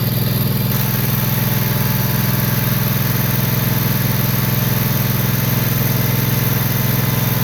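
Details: John Deere Z445 zero-turn mower, 25 hp Kawasaki engine, after wiring repair for a no-charge fault, jump pack on battery: steady even thrum with a firm low throb, no misses or knocks; running cleanly.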